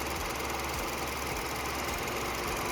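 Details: 2015 BMW Mini Cooper 3rd gen petrol three-cylinder, about 100,000 km, after RPM adjustment: quiet, even idle with a steady hum, no knocks or surging.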